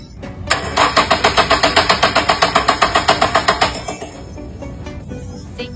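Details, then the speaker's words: Car that suddenly died cranks steadily, about four beats a second, but never fires; tests show no spark and no fuel, suspected to be a faulty crankshaft position sensor giving no signal. "no spark no fuel this might be simpler than we thought cars have computers controlling ignition and fuel injection no spark or fuel means it's likely a signal problem"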